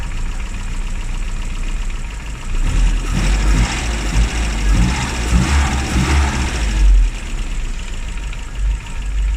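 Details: Classic Mini (Riley Elf) with points ignition, idling after a hard cold start on the year's coldest day, following about three months unused: low steady idle rumble with a rougher, louder patch midway, then settling; normal idle.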